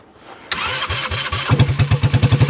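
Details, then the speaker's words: 2021 Kandi Batman go-kart on stock carburetor after new fuel filter and lines, no muffler, idle and throttle cable not yet adjusted: cranks briefly, catches right away, settles into even regular firing; clean, healthy start. "What? Wow. Stock carburetor made it."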